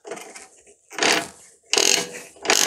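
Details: Chinese-design mini lathe (Sieg C2 type) with side cover off, gear train turned backwards by hand, unpowered: harsh rasping grinds in short bursts as the power feed gears and reverse tumbler mis-mesh; silent in forward.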